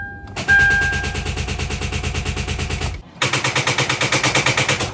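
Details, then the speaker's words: Hyundai Tucson, battery connected plus a fully charged booster pack: key on gives a rapid, steady clatter of about ten clicks a second with no cranking; the starter motor has failed and is being replaced. "so that is how you know for sure your starter is gone that clicking sound is no good"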